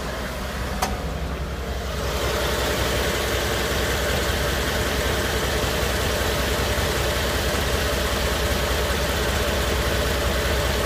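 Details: 2013 Ford F-150 5.0L V8, cold idle after repair under dealer work order: steady, even low rumble with no knock; the earlier cold-start knock (silent when hot) is gone.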